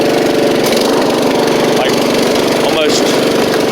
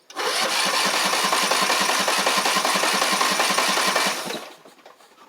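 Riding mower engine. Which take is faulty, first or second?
second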